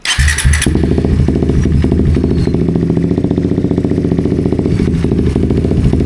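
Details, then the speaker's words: Suzuki GSX-S150 single-cylinder after fuel filter and fuel pump O-ring replacement: fuel pump primes, brief crank, catches quickly and settles into a steady, even idle; normal start, fuel supply healthy. "Let's start it up okay, let's test it the fuel pump has primed start"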